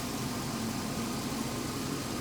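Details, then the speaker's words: Old Jeep idling: it had been idling high, then suddenly settled into a steady, even idle with no knocks, misses or surging. It is now running perfectly with the gauges working. "it had been idling high and then it settled down all of a sudden and I mean it's running perfect"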